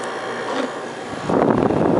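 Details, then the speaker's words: Kenmore 5,200 BTU window air conditioner, model 253.70051, R410a, 475W, made January 2012, new: steady airy fan hum, then the compressor kicks in with a firmer even drone; normal startup, no rattles. "Do a quick startup for you. Put the camera over here so you can hear the compressor running."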